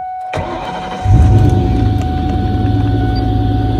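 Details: Car on a battery tender, 12.7 V before starting: a quick crank, then the engine catches cleanly and settles into an even, steady idle, with the alternator immediately reading about 14.5 V; healthy start and charging.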